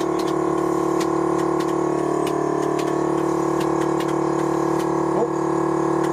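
A steady, even pump hum with a light regular tick and no surging or hiss: the ride-height compressor is running normally.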